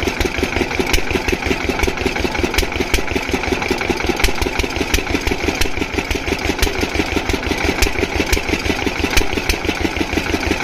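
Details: Diesel water-pump engine, after fixing the no-start caused by fuel not reaching the pump, chugs steadily with a regular firing beat and no knocks or misses; running perfectly, no problem.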